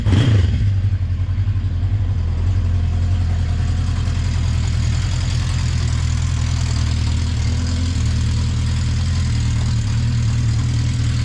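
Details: 1980 Honda CB650C four-cylinder, just after a cold start on choke with the original OEM 4-into-4 exhaust refitted: fires immediately and holds a steady, even idle with a smooth exhaust note. No ticks or knocks; healthy.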